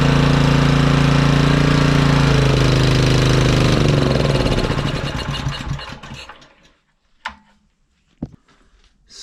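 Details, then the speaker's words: Honda EG1900X generator, Honda GX140 single, stored over 10 years with fuel left in, on half choke before cleaning: rough uneven chug running a few seconds then dying; runs only on choke from stale fuel. "it's only running on choke which is expected I mean that fuel is pretty Grim so that doesn't surprise me really"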